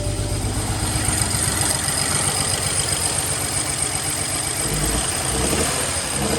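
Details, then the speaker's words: Car just restarted after fuel lines refitted and misfire repairs, extra quart of oil added: rough stumbling idle with irregular beat, smoking; several cylinders misfiring, shut off quickly. "Turn it off. Yeah. I don't think we should have started like that. It was making hella."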